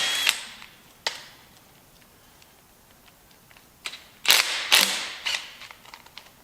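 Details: Cordless 14.4 V impact wrench with a fresh battery, driving bolts during a Kubota engine swap on a Bandit 2900T stump grinder: short, sharp rattling hammer bursts; normal impact wrench operation.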